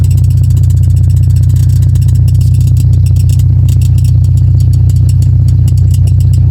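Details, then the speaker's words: 1992 Toyota Starlet 1.3 fitted with an aftermarket racing exhaust, heard in the cabin. A deep, loud booming drone at steady revs with a rapid rattling pulse; something at the rear also rubs and squeaks. "Ini ke kabin berisik banget, Guys. Berisik."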